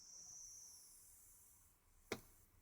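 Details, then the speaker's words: Chinese auto step up/down DC converter module (6A max), 13.6 V input, output raised to about 16 V: faint thin whistle then a sharp click, with crackling and squealing from the inductors under load. Inductor squeal. "16 certainly beyond the 13.6 that's coming in uh that seems all right but yeah there's quite a lot of squealing from the inductors at various points"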